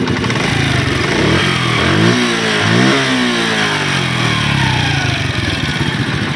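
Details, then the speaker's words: Honda CD 70 motorcycle engine after fitting a complete new timing chain and roller set: small revs settle to a steady, even beat, and the earlier top-end rattle is gone; it runs normally. "जो पहले खि खड़ ख की आवाज आ रही थी वो अब हमेशा के लिए खत्म हो चुकी है"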